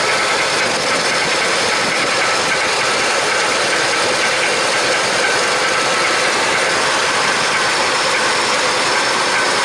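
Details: Car just had rear brake wheel cylinder work, fired up for a test run; fast, light, even ticking over the engine just after start-up, like lifter tapping rather than knock; suspected valvetrain ticking, valve job and carburetor repair planned next.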